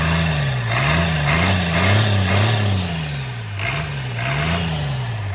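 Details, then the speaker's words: First start of a transplanted DT360 diesel with AT545 transmission, in neutral, after priming the fuel and bleeding the first injector line: diesel clatter settling into an even idle with revs gently rising and falling; normal idle, though loose battery-tray bolts vibrated. "Fairly happy with everything. Engine sounds good, but we're going to go ahead and turn it off, and it's a great feeling."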